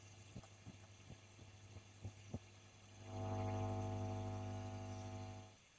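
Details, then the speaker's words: Valve guitar amp (rectifier and output valves changed, reverb driver swap made no difference), recorded with a second microphone: soft taps, then a loud steady low hum swells as the reverb control is turned up. "But, as yet, as we turn that reverb control up, we get quite a nasty hum."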